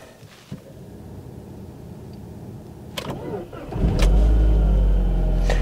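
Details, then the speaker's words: 2002 Volvo V40 T4 cold start, recorded in the cabin. A short crank, then the engine catches cleanly and settles into a low, smooth, quiet, steady hum; healthy cold start. "Silnik uruchamia się bardzo ładnie, nawet gdy jest zimny, pracuje też cicho."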